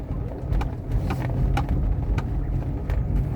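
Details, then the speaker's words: Renault Megane II Grand Tour, about 127,000 km, front shocks replaced about two years earlier; dull uneven knocks as the wheel is forced over a low rumble, loose front shock absorber rod play making a very strong suspension noise. "mas o ácido amortecedor soltou está fazendo um barulho muito muito forte"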